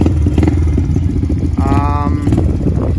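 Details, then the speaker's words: Pit Pro pit bike, 90cc GPX engine, newly fitted Amazon carburetor, air-fuel screw 1.5 turns out, started in a couple kicks, cold on choke: steady, slightly fast idle with even firing, no misses; cold start on choke. "All right, not so bad. Maybe a little high idle, we'll let it warm up. Amazon carburetor, started in a couple kicks."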